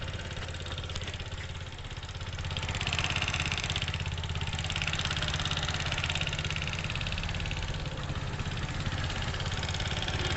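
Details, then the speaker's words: TVS Apache RTR 160 4V at idle: a fast, even khat-khat ticking clatter over the engine beat, about three or four a second, very loud, pointing to excess valve tappet clearance. "तो दोस्तों आपने सुन लिया देख सकते हैं engine से कितना आवाज ए रहा बहुत ज्यादा नॉइस ए रहा है दोस्तों खतखाती खटका खटका"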